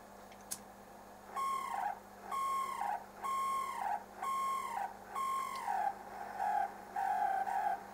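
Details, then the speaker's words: 1972 Dynatron CP1 cassette deck drive motor, removed and run on the bench after getting noisy in use: bursts of a high chirping squeal bending up and down in pitch like a distressed bird while the motor runs; cause not confirmed. "the reason didn't spot it maybe is because I was running it sideways but yeah that's not good does it sounds like a distress bird"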